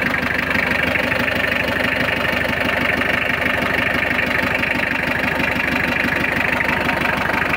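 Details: Mitsubishi L300 diesel, started after glow-plug preheating following clutch, clutch cable, clutch master and tie rod end replacement: even idle clatter, steady ticking about three a second, no misses or knocks; normal diesel idle.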